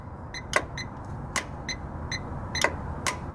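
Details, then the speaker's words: 2006 Chevy TrailBlazer 4.2L with a P0455 large EVAP leak, key on engine off: the vent valve gets 11.9V battery voltage and a ground is tapped on by hand, giving crisp clicks as the valve opens and closes properly. "i'm gonna go ahead and provide my own ground we should hear the valve open and close if it's properly working"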